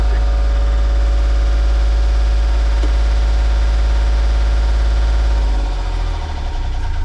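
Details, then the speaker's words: Sailboat Volvo Penta diesel, not started in a month, after new ignition switch, oil pressure sensor and alternator excitation circuit: low steady cold idle, charging 13.6 volts, no low oil pressure alarm; healthy cold idle. "And even at idle while she's cold, 13.6 volts and the oil pressure alarm isn't coming on. So I think we're in a good place."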